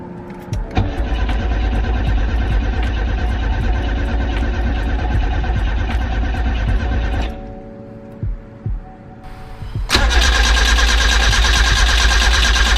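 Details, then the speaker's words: Nissan B13 Sentra with freshly rebuilt GA16DE, ignition and distributor disconnected: steady, even starter cranking about three beats per second, a pause, then a second crank, no firing; priming fuel and oil and checking for leaks. "I went ahead and disconnect the ignition and distributor because I want to prime the whole system with fuel and oil so when I say are gonna crank it a couple times make sure it's no leaks"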